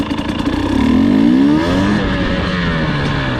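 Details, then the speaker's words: 2020 KTM 250 XCW TPI two-stroke on a slow start after swapping the cylinder port sensor and ambient sensor. Engine note climbs smoothly from low throttle with no stumble or gargle. Pulls cleanly; the low-throttle sputter is fixed. "do a slow start for you no gargle nothing just pulls off the"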